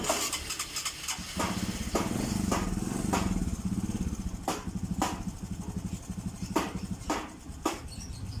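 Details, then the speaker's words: Old fuel-injected Honda Supra 125 with rough, hard-to-hold idle: idle sits very low and lumpy with uneven firing and stray ticks; injector duration reads high; owner suspects a weak fuel pump making the injector spray too heavily. "nah idolanya semprotannya diangkat tiga tapi otot untuk putaran mesinnya ini terlalu rendah Jadi eh saya definisikan injektor Kalau menurut saya yang pertama bisa dari pulpennya lemah itu yang menyebabkan injectornya terlalu deras menyemprotkan ke ruang bakar"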